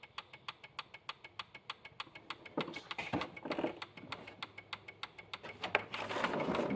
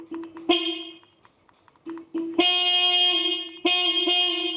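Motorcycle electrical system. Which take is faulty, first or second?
first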